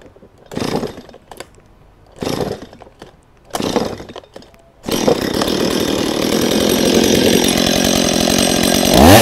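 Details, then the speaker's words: Stihl MS 180 chainsaw, pull-started with choke and chain brake off: a few tugs, then fires and settles into steady even high-pitched buzz; running healthy. "Apabila dia dah hidup, maksudnya dia dalam keadaan yang baik."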